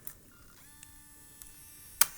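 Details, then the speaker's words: Broken digital compact camera: short click, even lens motor whine about a second and a half, sharp snap; lens mechanism struggling to extend and retract, image blurry, possibly broken inside. "anyway you can see the the lens is not does not sound good it doesn't work it doesn't open here although now it is but it has problems"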